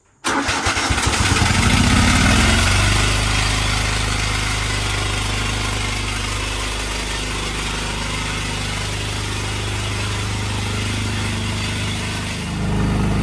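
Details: Craftsman DYT 4000 riding mower engine cranks and catches, then lumpy uneven idle around three beats a second; one cylinder not firing, spark plug then pulled and compression checked, cause suspected, not confirmed.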